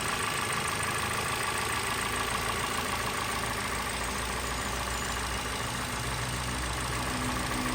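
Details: 2023 Toyota Corolla XEi at idle: steady idle with a faint, irregular tapping at roughly three to four per second over the engine; abnormal engine noise, cause unclear.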